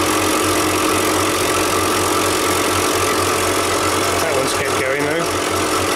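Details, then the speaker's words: Refrigeration unit with miswired earths used as live, needing two new compressors: loud constant running with a thin steady whistle on top; the whistle is thought to come from bad valves; compressor whistle. "there a whistl noise come from that sounded like bad valves that one we've disconnected completely at the"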